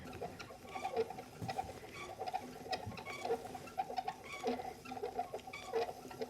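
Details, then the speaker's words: Restored 18th-century small travel spinning wheel spinning flax: light regular ticks and small creaks about two per second as the wheel turns; old wheel running evenly and rhythmically, no fault. "But even with her creaks and her squeaks, you can hear the kind of rhythmic sound as she goes round."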